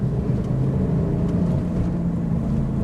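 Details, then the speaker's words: Cheap low-mileage Mitsubishi Shogun Pinin with new clutch on a test drive: steady low droning hum under road noise at speed; suspected very loud wheel bearing, possibly the differential, unconfirmed. "that I would say is a very loud wheel bearing very loud I hope it's just a wheelbarrow not the diff"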